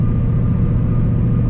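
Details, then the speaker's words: 4th-gen Camaro, stock engine, muffler removed, new poly mounts and short-throw shifter, cruising 55 mph in 5th at about 1700-1800 rpm: smooth low rumble with mild rear drivetrain hum, no whine or clunk; normal, heard because carpet and insulation are removed. "drivetrain noise back there but again I think that's good that's where the carpets ripped out there's no like noise cancelling stuff"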